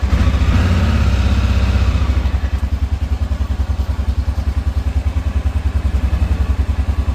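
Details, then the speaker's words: Honda Rincon 650 ATV single after rebuild with new cam, cold-blooded and revved to warm up in freezing rain: brief rev then steady, even idle thump about three to four beats a second; running normally, carb may need fresh gas. "So, there we have it. There we have it. It's all put back together. Running good."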